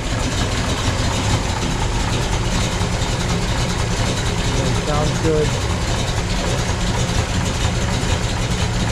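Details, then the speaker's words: 1969 Chevrolet Chevelle SS, frame-off restored, 396 big-block bored .020 over, solid lifters, roller rockers, chrome headers, four-speed in neutral, warming up; deep, steady exhaust rumble at even idle, no misses or knocks, no smoke; normal idle. "listen to the exhaust has that nice Rumble sound to it no smoke coming out"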